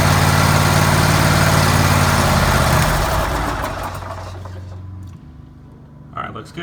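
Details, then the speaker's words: Kohler 7000 engine on a Hustler Raptor 42-inch mower, run after an oil change to check for leaks: a smooth, regular idle for about three seconds, then it winds down cleanly at shutoff; it runs fine. "Okay, when you change the oil on anything, you always want to check for leaks. So we're going to start it up."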